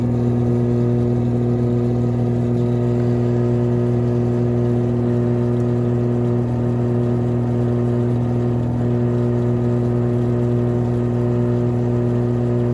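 A loud, steady low roar and hum holds through the whole spin without easing; the drum bearings have failed after water got past the seal.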